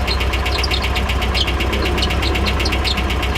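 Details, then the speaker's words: Nissan 240SX S13 with original KA24E engine on first start after six months off, new radiator and electric fans; light ticks about four a second over a shaky idle with the engine shaking. Owner suspects clutch drag. Ticking at idle. "Got a little bit of ticking going on. Say what? I mean, she's running."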